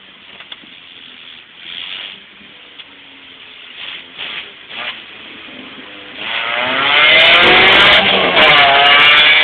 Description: spec v has an exhaust leak and sounds like a honda